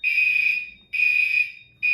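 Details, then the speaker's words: Garage fire alarm system with SK-5820XL panel, activated from a pull station during a test: loud high-pitched horn in even half-second blasts with short gaps, repeating steadily; alarm sounding normally. "We're going to activate the system and it will cut off the audio after a few seconds. Let's do it."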